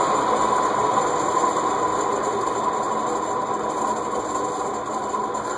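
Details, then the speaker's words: Cast iron Heat Recovery Systems L-356 industrial ceiling fan, circa 1991, previously locked up and freed with WD-40, coasting down from high: steady raspy hiss with faint fast ticking; bearings still noisy, need oiling or replacing. "now it has been pretty thoroughly wd-40 so the fact that the bearings are still noisy is saying something"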